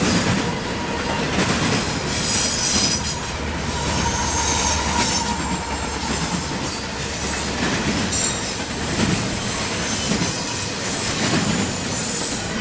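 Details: CSX intermodal train passing in Georgia: a high, piercing screech repeats as the cars roll by over a steady rumble and rail clatter; wheels squealing on the rail.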